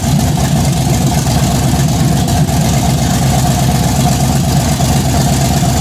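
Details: Chevy Blazer big-cam engine first start-up on open headers, fuel pressure about 50 psi versus 58 needed: loud idle with uneven loping pulse about three beats a second, engine shaking, possibly stuff burning off the headers; typical choppy big-cam idle.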